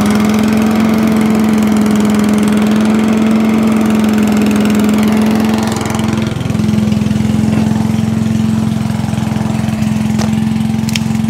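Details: Allen chipper-shredder small engine, stone cold on choke, after an ultrasonic carburetor cleaning to cure starting problems: runs steady and even at constant speed with no hunting or misfire; sounds healthy.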